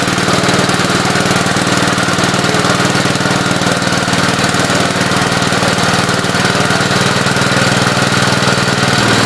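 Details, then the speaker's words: Gravely 8123 after an engine swap, timing set and head retorqued, new paint burning off the cylinder: steady, even single-cylinder beat at a constant fast idle with no knocks or misses; running healthy. "You guys could smell that new paint burning smell. Probably all the paint on the cylinder and stuff. Sounds good."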